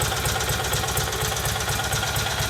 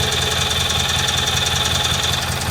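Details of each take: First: Rebuilt Kohler Magnum M18 from a Cub Cadet 1882 on a test stand, cold, idling near 1,000 rpm with about 30 psi oil pressure: light even clack about four per second; owner suspects crank end play or cam noise. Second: Freshly rebuilt Kohler Magnum M18 from a Cub Cadet 1882, on a test stand and fully warmed up. Steady even idle at about 1200 rpm, oil pressure about 45 psi, with a regular exhaust beat and no knocks; some raw fuel on the exhaust.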